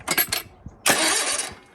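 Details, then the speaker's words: GT/18 being fitted with a new ignition system, starter just installed on the heavy flywheel; several quick starter bumps then one longer crank, clean with no grinding or clatter; starter meshing with flywheel properly, battery getting low. "And I'm gonna bump the key and just make sure that everything clears and it's not gonna destroy itself."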